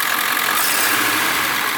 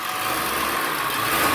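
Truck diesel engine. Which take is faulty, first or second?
first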